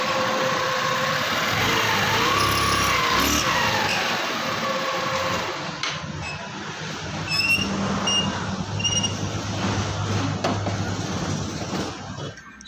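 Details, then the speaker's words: Scooter CVT before repair: thin high squeak climbing as it pulls away, then faint chirps, glazed clutch lining on a smooth bell; the bell is then roughened with 60-grit sandpaper. "So maingay po yung panggilid niya, parang may daga po sa loob."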